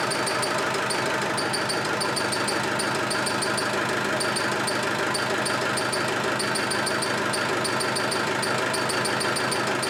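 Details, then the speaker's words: Land Rover 110 300Tdi with a rebuilt engine; coolant drained, running briefly. Sharp high chirps come in quick bursts over a steady diesel idle. There is no screech when cranking, only when it runs. It is thought to come from mid-engine; source unknown. "they no Screech it's no Screech when it's cranking but when it starts it screeches I'm just wondering if it's the the U clutch bearing"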